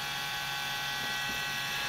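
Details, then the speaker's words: Compaq desktop with FSP power supply being upgraded to Ryzen 3 2200G: steady harsh buzz with a dense high whirr at constant speed; power supply fan vibrating from dry bearings, needing lubrication or fan replacement. "the power supply fan is vibrating like crazy [Music] [Applause] you know what's happening is the the fan the bearings and the fan is getting dry and gonna have to lube them"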